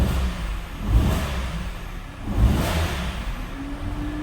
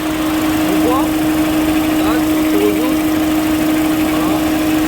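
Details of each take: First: Peugeot 207 1.6 95 hp petrol: the idle is uneven, with a stumble and surge about every second and a half. A cylinder is misfiring from a failed ignition coil; replacing the coil made it run right. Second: Peugeot 207 1.6 95 hp petrol four-cylinder after replacing the faulty ignition coil: steady, even idle hum, constant pitch with no misfire gaps; runs smoothly, confirming the coil was the fault.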